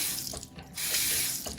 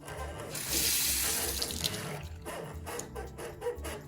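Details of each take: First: Two-handle Delta bathroom faucet, hot side: steady hiss of running water with no squeak as the handle turns, unlike the cold side, whose worn seal squeaks and is hard to turn. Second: Two-handle Delta bathroom faucet, cold side, with water running: short creaks and squeaks as the stiff handle turns, caused by a failing seal. The hot side sounds fine.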